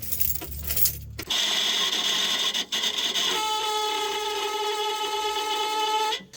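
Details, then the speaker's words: 1967 Plymouth Barracuda: the old, worn heater blower motor, before replacement, gives a loud, steady, high-pitched screech when the key is switched on. "All right, so this is our old blower motor. It's old and crappy. So we're gonna key on here, and you're gonna hear the terrible screeching noise."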